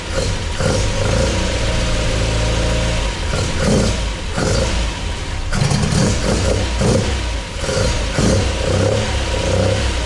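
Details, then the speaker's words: MGB with Weber 45DCOE carburettors after rebuild, first start, not yet at temperature: crisp throttle blips, revs rise and fall cleanly, responsive; idle still needs adjusting. "So that sounds awesome. Idle needs to be adjusted, obviously, and needs to take it up for a run to get it up to temperature. But that sounded sweet."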